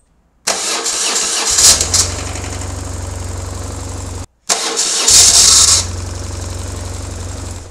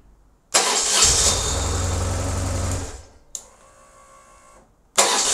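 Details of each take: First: BMW R1150GS starting twice: the starter's high whir keeps spinning about half a second after the engine fires, as the engine turns the hanging-on starter. Fix planned: remove the starter and clean it. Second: BMW R1150GS after fixing a noisy starter motor that hung on after starting (starter bolts 20 Nm, lead 10 Nm, cover 7 Nm): short clean starter whir, engine catches with steady beat, no lingering starter noise.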